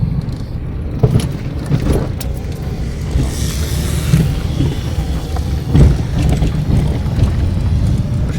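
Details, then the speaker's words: Car driving over bumps, ugly front suspension noise: dull low thuds break through the road rumble each time the wheels hit a bump; knock from the front suspension. "Pois para que tá com barulho bem feio eu quero ver se eu consigo mostrar para vocês aqui ó"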